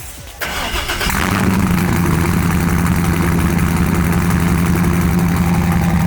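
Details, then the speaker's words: 2002 Silverado 5-speed with a freshly cammed 6.0L LQ9 V8, true dual 3" exhaust, just tuned; cold start: starter catches, then a loud, choppy, lumpy idle with a steady low throb, healthy. "I'm gonna try not to floor it for the sake of catching my initial reaction on film, but let's get a dirty little cold start."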